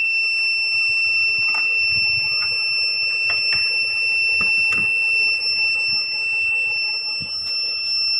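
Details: Luminous Eco Watt 850VA inverter gives a steady, unbroken high-pitched beep with no pauses; it is not sensing mains even though mains input is present, so a mains-sensing fault is suspected.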